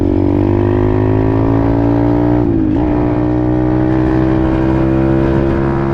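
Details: Apollo RFZ 125 X18 pit bike, after swapping the stock carburetor for a new NIBBI PE22 22 mm carb (jets unchanged, briefly adjusted), on a test ride: clean rising engine note pulling smoothly through the revs, no popping or bogging; healthy acceleration.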